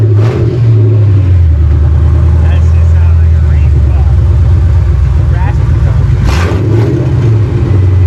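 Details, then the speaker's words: Car with 4.6 V8, run on long-tube headers with no exhaust: loud deep rumble rising and falling with throttle blips, firing even and strong; sounds nice, normal running and revving. "let's see what she sounds like it's gonna be loud yeah it's a 4.6 oh this thing got a little trick where i gotta unlock it [Music] oh yeah sounds nice"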